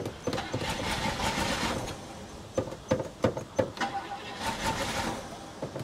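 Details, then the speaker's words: 1968 Chevy Caprice sat 18 years, after fitting throttle return spring, choke not fully closing: cranking with a few ragged uneven bursts where it tries to catch, sputters, then dies; engine catches briefly but wants more gas. "let's give it a crank oh oh come on oh it made some noise"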